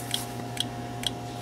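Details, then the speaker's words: 2005 Chevy Express 3500 van with a no-start, no fuel pump and flickering gauges, heard from under the van: sharp, even ticks about twice a second over a steady hum, coming from the ABS unit; stops when unplugged, traced to a faulty ground. "in the ABS unit so if I unplug the ABS unit the clicking goes away which I thought was odd so I plug it back in and it starts clicking again"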